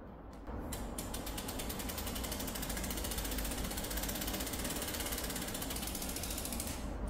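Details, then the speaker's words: Prototype bicycle internal gear hub without noise reduction gives a rapid, loud buzzing ratchet clatter from its pawls, before damping and oil are added; loud pawl ratcheting noise. "소음 저감이 되지 않는 상태에서는 이 정도 소리가 나고,"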